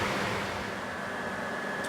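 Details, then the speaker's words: Countach replica kit car on 1986 Fiero GT chassis, rewired fans with new high-performance radiator: steady airy whoosh with faint constant whine, no rattle; engine fans working properly via cockpit switch. "can hear that one in there that sounds great let's go to the other side and check that one you can hear that one as well so it looks like all four fans are working perfect based off of that switch"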